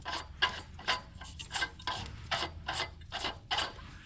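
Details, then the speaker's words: Toyota Highlander Hybrid 3MZ-FE V6: rough, gritty rasping bursts as the water pump is turned by hand, from a completely failed bearing with huge pulley play. It was also heard on a brief start-up and had shredded the timing belt. "let let's have a listen together of the grinding noise completely fa bearing and that's what I heard when I very briefly started up this engine"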